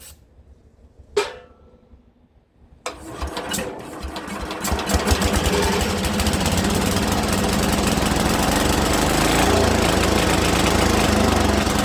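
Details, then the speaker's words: Speedex 1630 garden tractor with a new carburetor, engine likely not original: after a couple of short tries it catches and builds into a steady, even single-cylinder run. First successful start and run. "She runs, guys. She runs. We finally got her to run."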